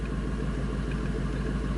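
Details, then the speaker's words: 1999 Ford F250 5.4L V8, after an EGR valve fix for surging/rough idle, in closed loop with fuel trims relearning: smooth, even idle with no misfires or shaking; the surging is fixed and it sounds normal. "this is how it V supposed to sound very nice nice and even no misfires no shaking at"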